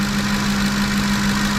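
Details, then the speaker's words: 2010 Ford F-150 5.4 L V8 idling after alternator and serpentine belt replacement, voltage checked at 14.6 V: smooth even idle, steady low hum, no squeal or chirp; old alternator bearing suspected of earlier squeal. Normal idle. "So we're chugging along. No more squeaks, no more squeals. Must have been the bearing of the old alternator."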